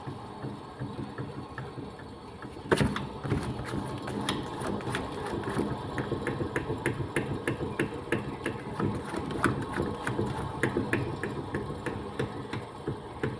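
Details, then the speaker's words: Maruti Suzuki Ritz diesel, humming while driving that grows with speed; raised rear left wheel spun by hand gives a steady hum with rhythmic ticking, a worn wheel bearing needing replacement. "നമുക്ക് ഒരു മൂളിച്ച sound കേൾക്കുന്നുണ്ട് ഈ സൈഡിൽ നിന്ന് നമ്മൾ കറക്കുന്ന സമയത്ത് ഊ എന്നുള്ള ആ ഒരു സൗണ്ട് നമ്മൾ സ്പീഡിൽ പോകുമ്പോൾ ആ സൗണ്ട് കൂടുതൽ വരും അപ്പൊ ഇതിന്റെ കംപ്ലൈന്റ് എന്ന് വെച്ച് കഴിഞ്ഞാൽ ഇതിന്റെ വീൽ ബെയറിങ്ങിന്റെ സൗണ്ട് ആണ് ഈ കേൾക്കുന്നത്"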